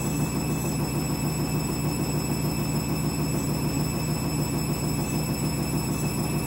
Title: Candy Washing Machine - New Clothes - final spin ramping up strange noise